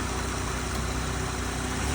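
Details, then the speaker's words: 2009 Chevrolet HHR, started with a jump and moved forward and backward: steady low idle with an even rumble and no knocks or misses; normal idle. "Sounds pretty good."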